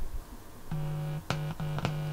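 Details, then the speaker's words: Partly built DX amplifier powered from a ±24 V (48 V total) supply: touching an open input wire gives a coarse low buzz in short bursts through the speaker, mains hum pickup; an audio source on the wires produced nothing. "do get a buzz through the speaker which i'm really surprised that it's actually able to do that at this stage"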